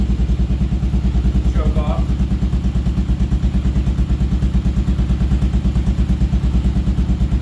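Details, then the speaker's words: Single-cylinder adventure motorcycle after a carburetor clean (brown, gunky fuel; the pilot screw had been turned fully in), with the mixture set to 2¼ turns. A steady, even thump at idle and a clean rev, with no misfire; it now runs properly. "set it two and a quarter seems to be running pretty good and now it revs so here's what it sounds like"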